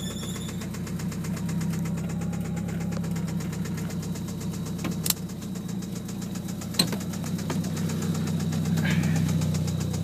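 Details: 1997 Eclipse GST at steady idle with a light ticking about four per second over the engine hum. The owner is asking what causes this knocking/ticking noise; cause unknown.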